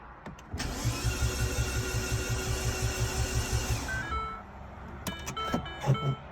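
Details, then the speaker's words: R56 Mini with big turbo fitted, first start attempt after subframe work, exhaust not connected: steady starter churn, about three even pulses per second for three seconds, stops without firing; fuel smell, no leaks; crank no start. "after all that excitement. Um, no fire. Um, have to have a look. Smell of fuel after you turned it over a few times,"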